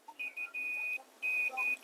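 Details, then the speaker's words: Dell Latitude 5440 AC adapter circuit with blown inductor PL3: multimeter continuity check gives repeated steady high beeps on the output side toward the charging pin, a dead short to ground, traced to a shorted diode. "So we do have a short on the output. This should be the one that goes to the charging pin. And this is the one that goes to the rest of the circuit. So you can hear it's beeping there."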